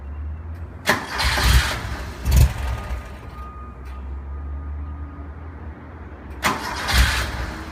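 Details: 1973 Porsche 914 2.0 hard to start after an oil change, valve adjustment and new spark plugs: repeated short cranking bursts catch only briefly and fade before another crank; cause not confirmed.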